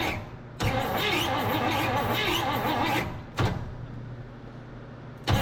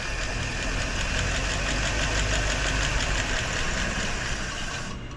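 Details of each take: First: 1958 Chevrolet Bel Air off the road since 1993, coil powered, cranking: starter spins the engine in two even bursts about three beats a second but it never catches; cranks but no start, no spark from closed ignition points. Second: 1958 Chevrolet Bel Air V8, abandoned about 30 years (last driven 1993), first revival start on gasoline poured into the carb bowl: smooth, even idle with a steady low beat, no ticking or knocking, barely any smoke, then winds down. Normal idle.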